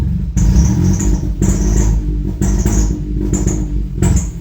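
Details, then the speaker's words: Ford EcoBoost after cylinder head replacement and timing done without tools, briefly test-run before injectors and manifolds fitted: hard start, then uneven lumpy rumble surging and sagging; crankshaft/camshaft correlation fault, with a wiring pin mix-up found. "Hard start. No calm. Crankshaft correlation."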